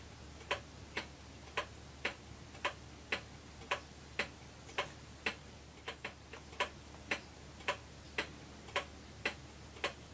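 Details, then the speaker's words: 1934 Ingraham Bedford time-only wall clock, movement cleaned and reassembled, test run in the case with the dial off: crisp even ticks just under one a second, steady beat; movement running properly. "Generally, when a clock is being test run to make sure the movement's running properly, if you do it in the case, you leave the dial off, and that way you can make adjustments to the crutch one way or the other."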